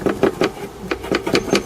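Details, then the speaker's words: Suzuki Hayabusa, fairings off: loose steering damper rocked by hand gives quick metallic clacks about four a second, the rattle heard over speed bumps and rough road; needs tightening with a 6 mm hex. "That's the noise you hear when it rattles when you're going over speed bumps and stuff, just rough road basically. That needs tightening, obviously."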